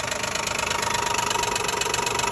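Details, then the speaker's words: 2012 Nissan Maxima 3.5 L engine at idle: fast, even ticking of about 17 per second, not from the engine bottom, traced to the intake bracket with one piece missing. "and again I'm assuming it's just a intake R make noise"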